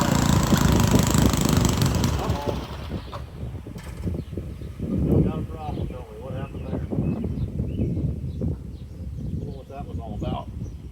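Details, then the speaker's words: Montgomery Ward rototiller, started with a little choke, fuel present: small engine chugs loudly a couple of seconds then fades and dies; engine stalling, owner suspects carburetor or fuel issue. "Run out of fuel. We got fuel. What's the deal? All right. Sorry for that last cut. My son came out and was want to talk to me, so I shut you guys off. Um, seems like we're having a carburetor or fuel issue."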